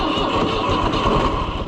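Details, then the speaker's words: Oliver 1250-A tractor after tie rod replacement, started in warm weather: old diesel fires immediately and settles into a steady, even low chug with no misses or knocks; normal start and idle. "Look at that. Warm weather fires right up."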